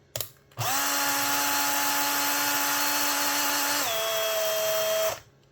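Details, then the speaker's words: Makita 18V drill: motor whines steadily then pitch sags as it labours, running slow and visibly smoking with a burning smell; owner suspects a melted motor. "So, a friend of mine um gave me his drill um and it's uh running a bit slow and smoking."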